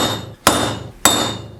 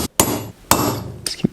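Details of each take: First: GM 14-bolt rear hub rebuild: steady hammer blows on a punch driving a bearing race, about 1.5 per second; ringing note sharpens as the race bottoms out fully seated. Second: GM 14-bolt rear hub rebuild, tapping the bearing race with a small punch through the slots toward the snap ring: a few sharp hollow hammer blows with no solid dead thud; race not yet fully seated against the ring.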